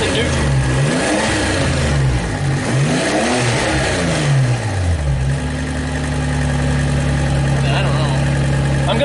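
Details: Engine-swapped truck with a used manual transmission, revving in neutral: a steady low tone that holds through the revs; shifting sometimes locks up, and a worn rear bearing is suspected, cause unclear.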